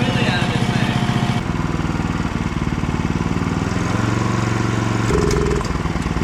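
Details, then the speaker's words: Go-kart with 11hp Honda GX340 single, floored: loud revving whose pitch jumps and steps unevenly instead of climbing smoothly; stumbling at full throttle, owner suspects low fuel, unconfirmed. "But you can hear in the first part that I kind of floored it. I think it's just got some low fuel in it, because I checked the fuel."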